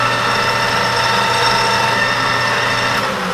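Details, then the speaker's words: Newly reassembled 1988 Rutland lathe spun up to about 620 rpm with freshly lubed chuck jaws and oiled gears; even, steady whir with constant tone and no knocks or grinding, running smooth and healthy. "Okay, that sounds pretty good there. I like that sound. It's nice and smooth, too."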